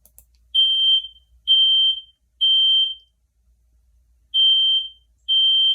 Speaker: the correct answer is to a smoke detector a smoke detector should be on every floor of your house